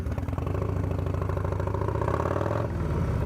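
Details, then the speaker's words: V-twin just fitted with an S&S 55mm intake manifold, fuel tank refitted: a loud, lumpy beat with extra whoosh and rasp as revs rise, audibly louder than stock, with no mechanical knock. The owner suspects a leak but found everything seemingly correct. "I mean it's just it's just louder when it's when when I'm when I'm getting on the gas and then when it's idling I could you know I could hear the difference between this and the OEM"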